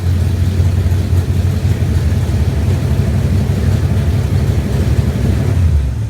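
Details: 1994 GT: deep, choppy rumble with rough puffing as the engine is revved — exhaust leak.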